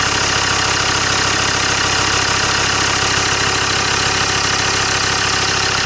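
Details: Land Rover Discovery 2 diesel after injector loom replacement. An even, steady idle clatter with no skips or stumbles, running cleanly on all cylinders. Definitely no misfire: normal idle.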